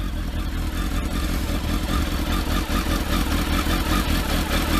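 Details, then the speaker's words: Four-cylinder, stone cold on freezing morning: deep, busy, steady idle with revs lifting slightly as it warms; runs perfect; normal cold idle. "So you'll hear the revs rise in a minute. Oh, well, it's trying, isn't it?"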